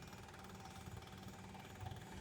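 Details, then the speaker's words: 2021 Berkshire XL 40E RV diesel generator with the engine stopped, stop button held: quiet, fast buzzing rattle of the electric fuel pump priming, advised for 20 to 30 seconds after a few days unused; normal. "You can listen to it. You'll hear the pump rattling to let you know it's priming."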